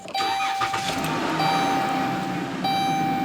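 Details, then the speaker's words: 2013 Dodge Caravan with hard-start problem, after bypassing the faulty fuel pump relay integrated in the TPMS unit: short crank, engine catches promptly and settles into a steady even idle with faint fuel pump whine; normal start, van back on the road. "so there you have it the fuel pump relay is bypassed and my van is back on the road"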